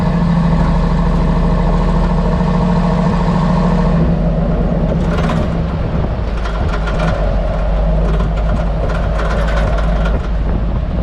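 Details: Hummer H2 at 10–20 km/h: irregular rattly cracks from the rear end over steady road rumble, tapping felt while driving; replaced springs, shocks, spring rubber seats, sway-bar links and bushings without effect; cause still unknown.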